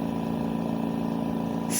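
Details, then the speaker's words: Steady hum with a fast, even rattling pulse and rubbing edge from the compressor of an AirSep/New Life Intensity 10 L/min oxygen concentrator with consumption peaking about 4.6–5.6; suspected compressor fault, not confirmed. "pero el ruido tiene un ruido extraño no si lo escucharon pues es algo muy sospechoso que hay que revisar cuanto antes"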